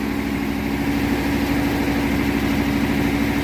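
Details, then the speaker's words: 1957 Thunderbird 312 Y-block V8, 86,000 miles, first run after 35 years off the road, smoky burning off fluids: steady fast idle with even drone well above normal; owner suspects a vacuum leak: high idle. "Very high idle. Makes me wonder if there's a vacuum leak somewhere."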